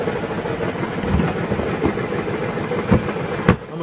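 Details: Chrysler minivan idling: loud, irregular crunchy clunks about once a second, heard beside the vehicle and with it raised in the air; traced via inspection cover to a broken/cracked flex plate.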